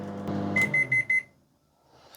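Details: Four short, evenly spaced high-pitched beeps, then silence: a donated microwave ending a 30-second-to-one-minute test run with turntable, light and fan working, yet the water stayed cold, so it does not heat.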